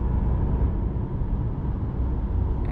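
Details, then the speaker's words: Nissan Sentra driving after the rear hub and wheel bearing assembly was replaced: steady low tyre and road rumble with no loud humming rising with speed; the bad bearing was the cause, and the noise is now normal. "it is nice and quiet again no loud humming and yeah so that definitely was our issue"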